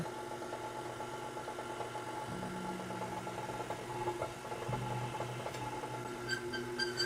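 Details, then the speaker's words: Stand mixer running with the pasta roller attachment empty: steady motor hum with a thin, pulsing high squeak; the squeak stopped once noodles went through, so it was the attachment. "I need to find out if this is the attachment or the um the mixer squeaking like"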